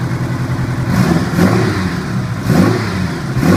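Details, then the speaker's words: 1985 Honda Gold Wing GL1200 Aspencade, after wreck, started after sitting seven years with freshly rebuilt carbs and idle adjusted: flat-four settles to even idle, then quick blips rising and falling cleanly without misfires; running well. "but a little bit of adjustment on the idle and the bike is running pretty well"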